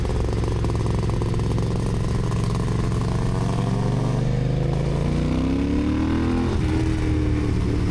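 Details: Yamaha IT490 two-stroke on test ride after exhaust refitted with new gaskets and carb swapped: pulls hard, note climbing smoothly with revs and dropping cleanly at each shift, no stumble or misfire; ran great, normal running.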